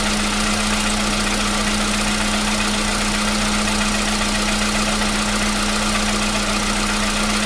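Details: 2015 VW Polo Sedan (CFNA petrol), 76,000 km, cold start with new battery: settles into steady even idle, faint constant hum, no knocking; the cold-start knock present since 2016 has gone.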